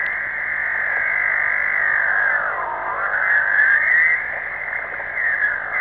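A wavering whistle that keeps sliding up and down in pitch over faint hiss; steady interference on the receiver, source unknown.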